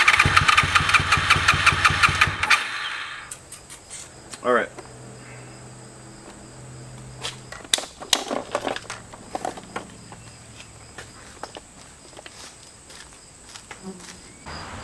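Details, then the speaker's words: 2001 Honda VFR Interceptor (Gen 5), White Bros slip-on, sat in a barn nearly a decade; battery 11.18 V. Quick even cranking near 170 strokes a minute for about two seconds, tempo changes with throttle, never catches: cranks but won't start. "so it cranks and it changes Tempo when I uh work the throttle while cranking it so I think those are good signs"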